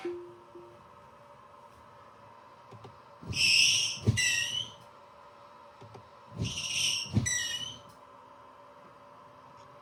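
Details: Six-month-old Tesla Model Y with new Kimblade Carbon wiper blades on a clean windshield: two sweeps, each with a high, chirpy creak and a dull thump at reversal; original OEM wipers are silent.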